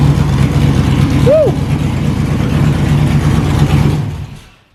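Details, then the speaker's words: Stock GM 5.3 V8 with an aftermarket cam and small radiator in an LS-swapped S10 drag truck: deep choppy lope rising under a throttle blip and falling away cleanly, no knocks or misses; healthy cammed V8. "sounds good for just a stock five three with the cam there we go five three little baby radiator little baby cam"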